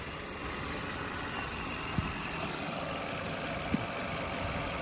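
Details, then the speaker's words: 2017 Chevy Malibu, 167,000 miles, hood up just after opening: quiet, even idle with a steady low hum and no knocks or ticks; motor runs very quiet, normal idle. "I'm going to pop the hood motor runs very quiet go ahead and put the hood prop"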